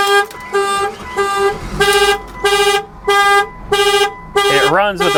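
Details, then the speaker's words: Salvaged 40k-mile Porsche Boxster at auction, key in and started: horn blasts on and off about every half second, nonstop; suspected alarm cycling, usually cleared by unlocking with the key in the door cylinder. "so it's going to sound the horn regardless is what it's going to do"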